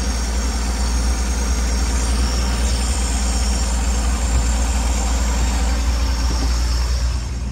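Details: 1965 V8 after turn-signal switch and wiring repair, just started on choke: loud, steady rumble, slightly fast idle with no misses, knocks or hunting; later just over 190 degrees, charging 14 volts.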